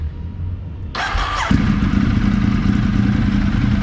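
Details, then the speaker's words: Ducati 848 with oil-bath wet clutch, starting and idling: steady deep idle, oil muffles the clutch so almost no clutch noise and pulling the lever changes nearly nothing; healthy. "e agora é só a gente não escuta muito barulho proveniente aqui na embreagem"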